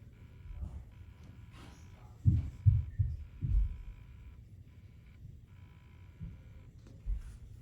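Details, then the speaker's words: Pecron E2000LFP power station at about 40% battery, which shuts off early and gave a burning smell: soft irregular low thumps about twice a second with a faint whine; throbbing noise, cause unclear. "So this is the sound that I always start to hear right at about this time when the battery gets down to 40%."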